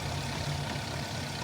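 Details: Low uneven idle with lumpy beat under steady rumble, misfire on two cylinders, catalytic converter glowing red hot; engine misfire risking converter destruction and fire.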